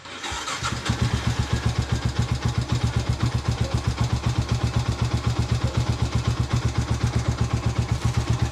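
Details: Sniper 150 single-cylinder motorcycle after idle adjustment for hard starting; standard idle is 1,300–1,500 rpm, and below 1,000 rpm it is hard to start. Steady, even idle with a regular low thumping beat, no misses; properly set.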